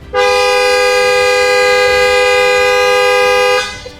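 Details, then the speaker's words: A single steady horn blast of about three and a half seconds sounds as a crash-damaged Porsche 911 GT3 (2,500 miles) is first started with the clutch down and no key inserted; the cause is unknown. "That's loud, isn't it? Did you hear that? Why is it doing that? It's German. Is it going to always do that?"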